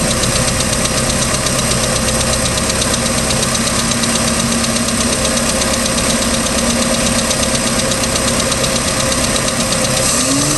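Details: 3.0L Mercruiser boat engine, second owner, ticking started at beginning of season: steady idle with fast light metallic tick, about two to three per second; cause unknown.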